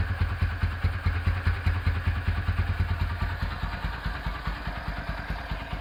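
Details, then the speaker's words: Rebuilt Honda Tiger Revo single-cylinder engine with reconditioned carburetor and BRT camshaft, running at low idle: even thump at two to three beats a second with no knocks or rattles; the engine sounds healthy. "Oke, mesin sudah beres. Karbu agak ngeses ya, ini karena pakai karbu pakai noken as BRT."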